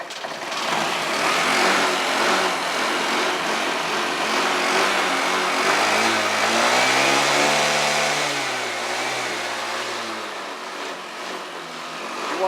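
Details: Honda 50cc two-stroke, low on fuel, after a new spark plug and carburetor work following bad fuel: the buzz climbs smoothly in pitch as the throttle opens, then falls back cleanly; it revs freely and strongly.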